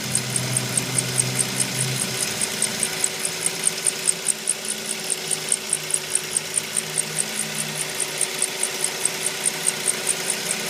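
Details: 2004 Mazda 3: sharp high-pitched chirp about three times a second over a steadily running engine; cause of the squeak unknown.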